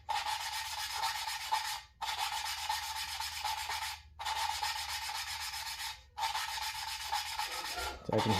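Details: Valve lapping on a 1949 Farmall Cub engine: rhythmic gritty rubbing strokes about every two seconds with steady pitch, valve lapped against its seat with compound; normal lapping, sound changing, even ring forming.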